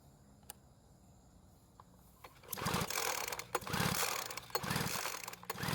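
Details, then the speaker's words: Poulan Pro leaf blower that ran one day and wouldn't start the next, with fresh mixed fuel poured into the spark plug opening. About 20 rope pulls, each a short rasping spin, never catching. Owner thinks it is not flooded. Cranks but won't start. "unfortunately after pulling the Rope about 20 times it didn't start the reason I kept pulling it as much as I did was because I was also trying to clear the engine if it happened to be flooded with fuel and since it didn't even try and start I don't think it was flooded"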